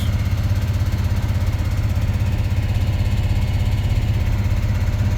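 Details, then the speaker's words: 48-year-old GMC squarebody C25 truck after a tune-up, cold idle on choke: deep, steady, even rumble with a regular low pulse, no ticking or misfire; choke, fuel gauge and speedo working; normal smooth cold idle. "Success. Choke's working. Fuel gauge works. Speedo works."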